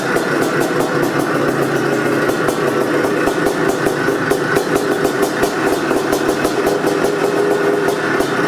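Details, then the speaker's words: 1984 Can-Am MX500 Rotax two-stroke ice racer, Bing carburetor, original pipe with aftermarket silencer, first start in years after kick-starting: sharp, even booming pops about six or seven a second; healthy idle, sounds rich. "It runs. And it sounds thirsty. There it is, folks. MX500."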